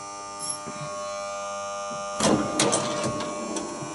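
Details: Williams Full House electromechanical pinball: steady loud mains buzz from the energised dealer relay coil under play clicks and clunks; the toasty old coil was replaced but the new one buzzes just the same.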